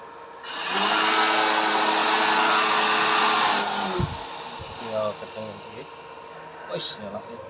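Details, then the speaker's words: Homemade blower built from a used dynamo motor on a zinc-plate mount, fed from a 12 A transformer turned up to maximum: smooth, steady whir with no rattle or wobble, then winding down; previously very noisy, now quiet with strong airflow. "Bagus, suaranya halus. Tidak seperti dulu. Sebelumnya sangat berisik, sekarang sudah tenang."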